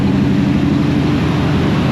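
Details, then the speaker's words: Vehicle from a project converted to a 4-speed, just fired up in the shop, power steering pump still missing: steady raised idle with an even low drone and no knocks or misses; normal high idle after start. "we're back and as you can hear she's running as you can also see she's backwards in the shop without the LM on the reason for that is we got all the brakes play they're not bad I just fired her up that's why she's on high"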